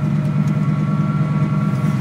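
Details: 1990 Chevy/GMC 2500 plow truck, 350 TBI, OBD1, repaired for intermittent no-start: low steady idle hum, even pulses, no hunting or surging; normal idle.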